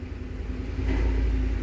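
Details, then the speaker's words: 2010 Ford F-150, AC on, blower motor at maximum: deep steady rumble swelling with fan speed, vibrating the whole vehicle; debris, possibly a rodent, suspected in the blower cage unbalancing the wheel. "and I'm going to turn my blower motor all the way up I don't know if you can hear that but it is vibrating throughout the entire vehicle and the blower motor in the these F-150s are right here and that thing is vibrating like crazy"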